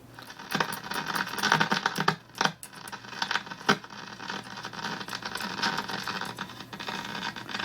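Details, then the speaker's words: RCA 66X1 radio after cap replacement and bypassing a suspect jack: irregular scratchy crackles and pops persist, unaffected by volume; intermittent fault still unlocated. Cause suspected, not confirmed. "well you can hear it's still making the noise same thing volume doesn't make any difference"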